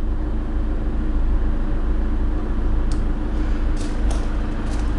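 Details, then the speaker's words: 2010 Ford Transit 350 Jumbo extra-long-wheelbase diesel van, heard idling from the side door: low, steady rumble with no knocks or misses; healthy even idle. "I've left it running as well so you'll be able to hear idling as well"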